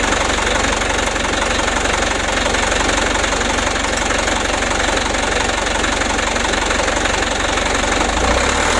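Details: Mitsubishi Canter HD 125 diesel truck (possibly 2025) after Bosch injection pump service and adjustment; loud, steady clatter at an even rate of about four beats a second, no misfires or surging; normal idle.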